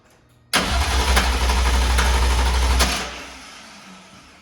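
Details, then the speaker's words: S54-swapped BMW E36 after replacing a bad solenoid pack, fuel pump fuse not yet in: strong even crank about two and a half seconds with steady compression pulses, no clicking or grinding; starter cranks normally, engine started afterwards. "So all I need to do is, I'll probably crank it a couple more times, but throw the fuel pump fuse in, and this thing should fire right up."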